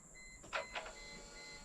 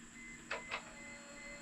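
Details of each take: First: 1998 Mercedes C230 (W202) revived after sitting in a field since 2018. Quiet chimes, then a harsh, steady, high-pitched whirring grind with no firing; the starter is worn and going out, to be replaced later. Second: 1998 Mercedes C230 (W202) sitting since 2018, key turned to on; quiet steady high whine with two soft clicks as the fuel pump primes the system.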